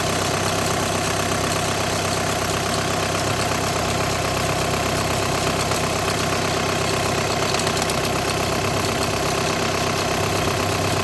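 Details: 2008–2014 VW with DSG gearbox at steady idle: a light, irregular rattle at under two per second rides over the engine. A vibrating clutch plate or plate bearing is suspected, not confirmed.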